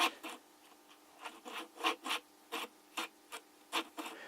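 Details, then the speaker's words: The internal ball bearing of a Tamiya OPS VR 15S small nitro engine, over 20 years old, gives short gritty rasps when hand-spun after cleaning, worn and rough even when oiled, alongside a discolored, overheated rod. "Even with oil, it's quite noisy, it's too noisy."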